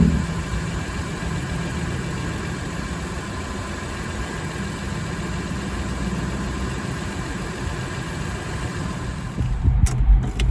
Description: This is just to show how an exhaust leak will sound like….